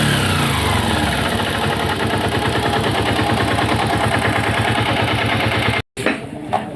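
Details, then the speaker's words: Pushrod Honda 125 engine (Titan/CG/Fan 125, up to 2008), removed from frame: single cylinder runs with rough repeating knock about twice a second tied to engine beat, then shuts off; suspected connecting rod, not confirmed. "então começou a fazer barulho nesse motor aí tá provavelmente de biela"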